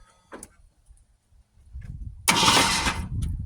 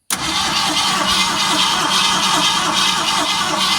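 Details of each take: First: Original 1971 Ford Torino stored 25-30 years in a garage, new battery, fluid sprayed in: starter spins the engine over freely with even whirring crank, no binding or clunk; engine is not seized. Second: Original 1971 Ford Torino after 25-30 years stored in a garage, with a new battery, primed with fuel and pumped gas, running on 2-stroke gasoline. Catches right away into a lumpy, uneven idle with a hissy top end. Hard starting.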